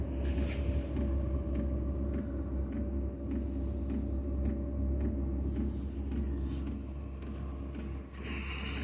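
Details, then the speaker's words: 5 kW diesel heater on workshop cart, after priming fuel, starting up with some smoke; sharp ticks about twice a second over low burner rumble as it lights, fuel pump clicking; normal diesel heater start-up with fuel pump ticking. "Oh, it just sounds like she's coming to life. That's the pump clicking away."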